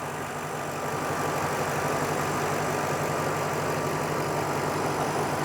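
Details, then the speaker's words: 2007 Ford Mustang GT convertible, 4.6-liter V8, low mileage, dealer maintained, idling under the open hood: smooth, even, quiet idle with a low burble, belts and pulleys whisper quiet, no ticking, knocking or squeal. Normal idle. "Very clean under here. You can hear it idling very happily and quietly."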